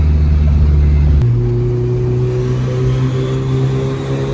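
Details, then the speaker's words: Turbo Honda Civic after changing to a new turbo, making zero or negative boost: steady low drone barely climbing in pitch under full throttle, no spool or whoosh; sluggish, struggles past 60; cause unknown, boost gauge being installed to check. "sluggish after I changed it to the new turbo which the car has on right now but it still doesn't feel like the power is 100% there"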